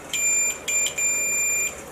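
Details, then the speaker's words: UT-105 multimeter continuity test of very long homemade leads, before diagnosing a Nissan P0745 transmission fault: three clean high beeps, short, short, then a longer steady tone, confirming the leads work. "so we know full well that the leads I've got which are homemade leaves extremely long are working"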